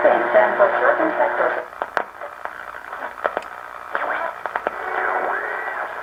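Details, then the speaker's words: 1937 Grunow tube radio after repair of low 6A7 converter and IF amplifier screen-grid voltage (5 V, needed about 50 V): night shortwave scan, static and whistles sweeping as the dial turns, faint stations coming through clearly; normal shortwave reception. "i thought we then run a scan through later at night and see what we can get here in shortwave"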